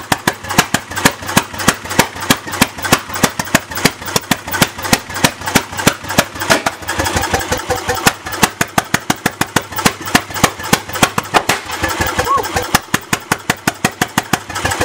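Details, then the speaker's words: Bessemer engine on its first test start, running on gas: sharp, uneven exhaust cracks about three a second fired straight out with no muffler; a fire breather needing timing fine-tuned and a muffler. "That thing's a fire breather, man. Yeah. Fine-tune the timing and find a muffler. Make a muffler."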